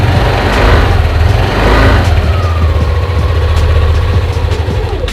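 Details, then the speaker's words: Used Yamaha Aerox 155 scooter, about 11,000 on the odometer, CVT sliders and rollers clean. Steady, smooth low idle with an even beat and no ticking, knocking or rattles; engine sounds healthy and clear. "mirip suaranya mie sama freego ya Oke kira-kira ciri khas suara Yamaha kayak gitu"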